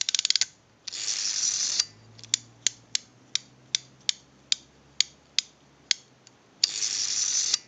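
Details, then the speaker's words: AE candlestick telephone rotary dial with contacts not yet fitted: crisp, even ratchet clicks about three per second on return, with a buzzy ratchet at each end. It works properly; no ratchet sound would mean a missing or misinstalled key or a bad spring. "if you do not hear that ratcheting noise when working on a dial like this that means that the key is missing or it's installed improperly or the spring is bad you have to hear that ratcheting noise when it's working properly"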